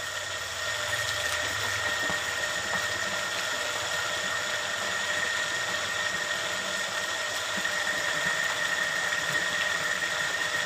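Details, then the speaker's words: Repaired electric water pump tested by sucking water: a steady motor hum with a constant high whine and light churn, no stalling or buzzing. The pump is running normally. "jut kita lakukan proses pengetesan jadi di sini akan saya gunakan untuk menyedot air tentu saja untuk memastikan pompa air ini berfungsi dengan baik atau tidak Dan di sini hasilnya sudah Mantap ya pen ya"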